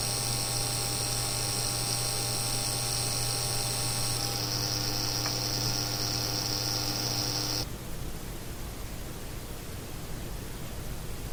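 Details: Seasonic X660 PSU, the third unit, with its fan not running, case and CPU fans off, SSD only, no GPU: coil whine while Prime95 runs that stops when the load ends.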